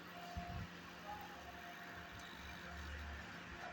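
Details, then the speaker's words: LG microwave oven cooling fan after repair: the fan had been noisy during grilling and was freed up and refitted. It now gives a steady low whir and even hum with no rubbing or rattling, running quietly. "आवाज नहीं fan की अब fan ठीक हो गया"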